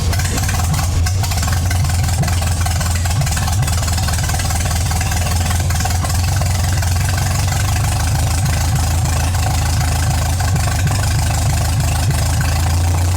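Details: MGA 1600 roadster four-cylinder during restoration, low on fuel, cooling system test with new 4 PSI cap and air-locked heater core: deep, steady low idle rumble with even beat, no knocks or misses; holds pressure, normal idle.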